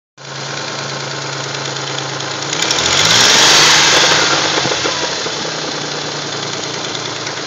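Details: 1979 Datsun 280ZX: a harsh, rapid clacking that climbs with revs, with a gurgle on return to idle, both from under the front end of the valve cover; cause unclear; clacking when revving.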